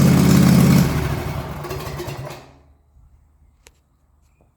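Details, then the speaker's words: Toro TimeCutter Z5020 ride-on mower after swap to an eBay replacement engine: harsh, very loud single-cylinder bark with deep low throb, running with no muffler fitted, dies away at shutoff. "I'll um fire it up and um show you what it's like it's pretty loud cuz obviously I've got no muffler on it"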